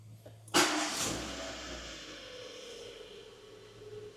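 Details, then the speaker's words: Renault Clio 1.2 16-valve with 75,000 miles, started after bleeding during a timing belt and full service; it catches at once and settles into a quiet, even tickover with no engine management lights, knocks or misfires. "start running. No engine management lights. Sounds like a little single soy machine."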